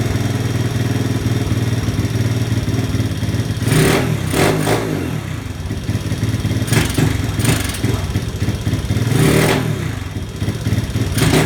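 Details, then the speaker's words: 1983 Honda ATC 70 trike after drilling out the idle/pilot jet: idle putters, but each fast throttle blip bogs briefly with an intake sucking sound before revs catch; slower throttle opening is fine; off-idle hesitation remains. "so there's still a little bit of a delay there if I blip the throttle really fast you'll hear it sucking kind of sup"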